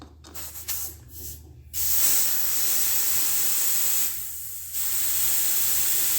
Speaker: you'll hear a lot of air hissing that's because the tube was completely flattened but the entire cavity of this tire was basically had air in it right so as the tube starts to grow it pushes all that air out